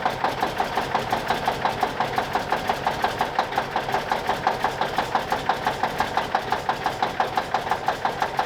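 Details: 1989 Kenworth K100E with a Cummins Big CAM IV diesel, cold start at -6 °C, not plugged in: evenly spaced clatter about three a second as it catches and runs steadily, a healthy start, a little smoky.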